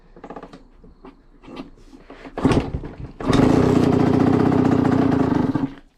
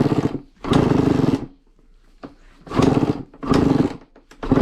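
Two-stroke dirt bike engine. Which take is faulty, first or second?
second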